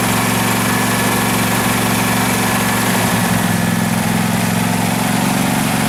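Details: 2012 Husqvarna riding mower that survived a flood, run before any carburetor cleaning: an even, steady low idle with a smooth beat and no misses or knocks under some hiss, a normal healthy idle.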